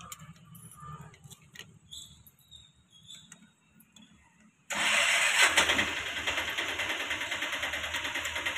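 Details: TVS Scooty Pep petrol scooter with a won't-start complaint, cranked during spark check: starter churns with regular pulses but never catches. Carburetor jets later found blocked (air and filter fine), and it starts once they are cleared.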